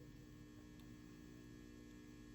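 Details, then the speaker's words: PSone console: steady fixed-pitch mains hum under everything; bridging across the second filter capacitor (negative to negative, positive to positive) changes the sound, identifying that failing cap, both likely shot. "So it was that one right there. And all I did was bridge across that cap there."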